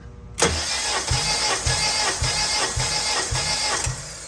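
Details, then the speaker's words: Compression test on cylinder 4 of a car, gauge fitted: starter whirring with steady, evenly spaced pulses under two per second, none weaker; reads 152 psi, and all four cylinders show about 152-153 psi, healthy. "right, 152. So all the cylinders gave me the same numbers, about 152, 53-ish. So everything is looking pretty good."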